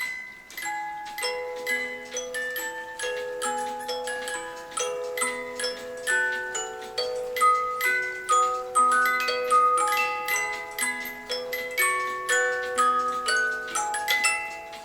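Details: 1986 German 8-day Oompa-player cuckoo clock that had never run, music box triggered on the hour after the cuckoo. A clear tinkling melody of plucked comb notes at an even tempo, no drag or skipping. The music box plays normally.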